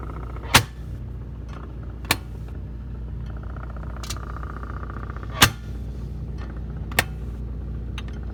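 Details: Whirlpool side-by-side refrigerator: sharp single knocks every couple of seconds at uneven gaps over a steady low hum; knocking noise, cause unknown.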